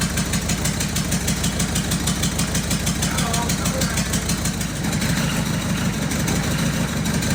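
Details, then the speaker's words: Diesel engine freshly fitted in a recovery truck: rough idle with a chopping beat about three a second, sounding like a helicopter; found to be a couple of injectors damaged when reused with their seals. "we've discovered that a couple of the injectors that were in this engine when it ran right that we took out did the injector seals put them back in that must have killed them that's why it sounded like a helicopter"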